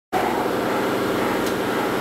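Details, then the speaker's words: Belovac vacuum forming machine, vacuum valve closed: steady even hiss and hum with no knocks or surging as the pump builds and stores vacuum in the tanks; normal vacuum pump running. "what's happening right now is our vacuum tanks which we can see here what they're doing is they're building up vacuum and they're storing that"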